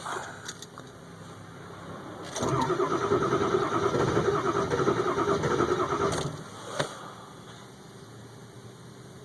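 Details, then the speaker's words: 2002 Ford F350 7.3 Powerstroke diesel cold start at about 34°F; glow plugs warmed two to three minutes without cycling. About four seconds of steady, even cranking that never catches. Hard start with white smoke, taking about eight minutes to start. "I'll try to pull the start right now and I guarantee it will not start"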